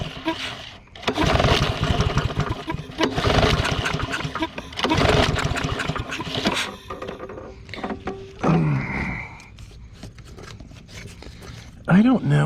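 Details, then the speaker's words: Discarded lawn mower (Troy-Bilt or Yard Machines) after draining water from tank and adding fresh gas: repeated rough pull-cord cranking with brief coughs, never running; hard starting, water in gas/carburetor suspected. "so we are going to try it again I bet you it won't start because of the because of the water in the gas all right go ahead it's going to take us several times to get it to go"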